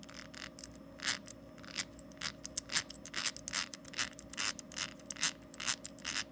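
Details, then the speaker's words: RCP Wreckluse RC crawler front axle, not yet rebuilt, turned by hand: uneven gritty, scratchy bursts about twice a second from gunked-up dirty gears grinding; the rebuilt rear axle spins much easier. "all that gunk in the gears let's see what this one sounds like after it's been rebuilt"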